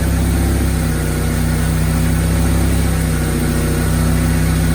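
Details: Cheap Mercedes-Benz coupe after the repairs, including intake cleaner and a new hose clamp. Low, even, steady idle with no misses, hunting or rattles; normal idle.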